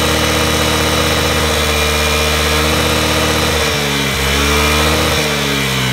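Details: Honda Today moped, engine previously wouldn't rev, treated with engine conditioner for carbon buildup: runs smooth and even, takes a quick rev and settles straight back to steady idle; running healthy.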